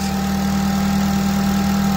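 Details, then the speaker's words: Honda FN2 with K20 intake manifold, J35 throttle body, new oil catch can and homemade air intake, first start after install: smooth, even idle with a steady low hum, no knocks or ticks, no leaks; normal idle. "Running perfectly, no issues. We'll check for leaks."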